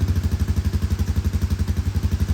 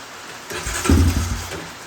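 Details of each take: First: Honda Recon ATV with a new petcock, after a hard start on sprayed brake cleaner. The single-cylinder engine now idles on its own, steady and even, with no misses or stumbling: a normal idle. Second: Honda Recon ATV with a new petcock, cranked with brake cleaner sprayed in as starting aid. It catches into a ragged sputtering burst for about a second, then dies: hard start. A fuel issue is known; the exact cause is unconfirmed.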